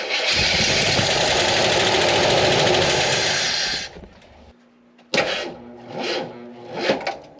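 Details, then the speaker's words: Jeep Wagoneer with a suspected electrical short, plow disconnected: the starter hums and drags the engine slowly and unevenly without catching; the owner doubts voltage and suspects the engine, but low battery voltage is likely; slow cranking. "Like it doesn't want to turn over. Like you can hear it humming, like that starter motor trying to turn this thing over."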